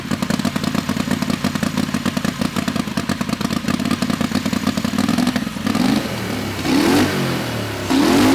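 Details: Turbocharged methanol Harbor Freight Predator 670cc V-twin dragster with newly fitted Polaris RZR CVT, run in shop: lumpy V-twin idle, sharp blips with rising turbo whistle; normal running.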